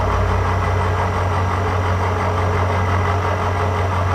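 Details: Cincinnati 205 milling machine, spindle showing about 40 rpm, light cut with power feed after fixing hesitating feeds: steady even low hum, smooth drone, no knocks or grinding, feed running cleanly.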